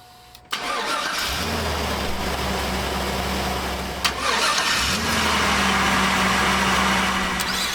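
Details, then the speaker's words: 2015 Ford Flex at the onset of fall with cool nights: engine cranks with a low, labored drone that stalls and restarts without catching; sluggish cranking from a dead battery, before battery, alternator and starter tests. "That is not a sound that you want to hear, because that never happens at a convenient time."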